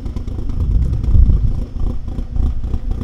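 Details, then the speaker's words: Workshop car with performance cams just started: deep, uneven chuffing idle with a loping rhythm and no knocks; slightly lumpy idle from the cams, engine otherwise healthy. "You can obviously hear the cams there, a slightly lumpy idle."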